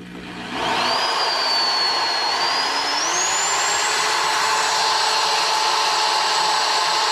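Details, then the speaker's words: Drill used to demonstrate bearing failure: steady high motor whine climbing as it spins up, rough buzzy vibration from a deliberately loosened bit with play in the chuck, mimicking a chainsaw crankshaft wiggling on worn bearings. "i pick up a i pick up a vibration don't i the whole drill everything starts to vibrate"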